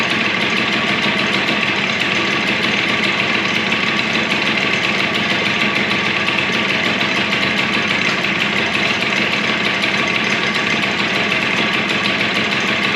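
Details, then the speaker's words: Suzuki DS90 two-stroke after rebuild with used replacement crank, first heat cycle, idle adjusted up as it was a little too low: crisp, steady buzz holding an even idle with no stumbling or rattles; healthy running. "let's give it a go and give it its first heat cycle sounds good to me"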